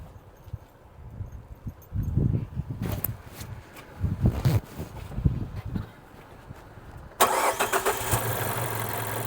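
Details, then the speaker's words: Car with a pending cylinder 4 misfire code (firing order 1-3-4-2), suddenly stumbling and unable to exceed 35 mph uphill: lumpy, uneven idle with a stumbling beat. Single-cylinder misfire; owner suspects the cylinder 4 ignition coil. "Yeah, it's running rough. All right. Let me see, keep it running. What I'm gonna do, I'm gonna unhook number 4 and see if there's a change in it at all."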